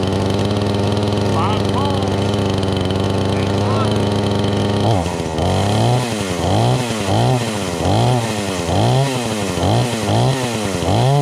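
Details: Brand-new Craftsman S205 chainsaw after first start from the box: steady idle gives way to clean revs rising and falling about once a second; running fine.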